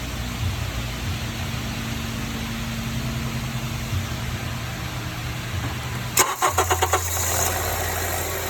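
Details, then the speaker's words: 2007–2014 Honda CR-V cold start after replacing the VTC gear: quick crank, then catches and settles into a steady, even idle with no startup rattle; normal cold start. "alright guys well as you heard the noise has gone there's no more rattle on startup"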